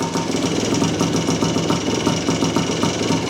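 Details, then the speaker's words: 1978 Yamaha IT400 two-stroke, first start after storage, clutch cable replaced and petcock cleaned, choke on, kicked over with heavy compression: starts after several kicks, crisp even popping at fast steady beat, no knock or miss, some oil smoke; normal running. "this thing's got turn to choke on oh crap that's a lot of compression [Music] wow it started"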